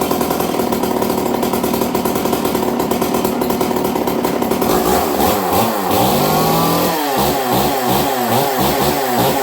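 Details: Stihl 038 Magnum chainsaw on fast idle: a steady high buzz, then revs hunting up and down in repeated swells instead of holding even; a surge blamed on a choke issue, with the air filter to be checked.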